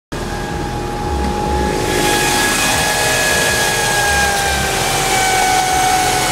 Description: Bad alternator bearings on the old alternator as well as some bass.